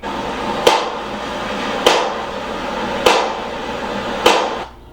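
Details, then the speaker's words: GE Profile electric dryer, model PTD60EBSRWS, tumbling with a loud thud about every 1.2 seconds. "so that's pretty loud. Alright, so you can see that right now that it's pretty loud."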